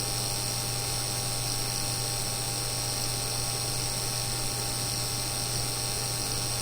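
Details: Seasonic X-660 power supply, fan not running, CPU fans disconnected, SSD only, no video card: a steady buzz with thin high-pitched tones, coil whine under Prime95 load. This is the third replacement unit and is getting louder.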